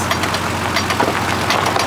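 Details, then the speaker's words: 2002-2004 Jeep in four-wheel drive, circling in driveway: sharp irregular clicks over drivetrain hum while turning, heard at the transfer case; suspected worn CV joint on upper driveshaft, driver axle already replaced. "all right we're just doing circles in my driveway now it should take full drive it's always good to do it at a roll neutral there it goes reverse to drive always gets it done yeah you can pretty much just hear it at the transfer"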